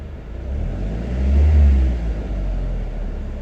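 Deep engine rumble swells with a rev and settles back, uneven underneath; this engine is misfiring, though the cause isn't clear.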